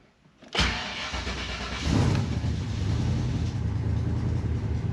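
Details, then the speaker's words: Methanol race car with Holley Dominator EFI, recently dynoed, starting and running: deep exhaust rumble with a light quick tick on top from a leaking header gasket, left unrepaired pending turbo kit redo. "i think you can probably hear that annoying ticking header gasket but it is what it is"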